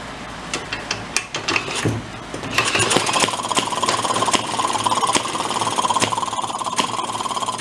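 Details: 1937 Maytag 92 two-stroke washing machine engine, spun up with a drill after carburetor adjustment: it catches into a quick, rattly two-stroke beat that holds steady and runs on its own.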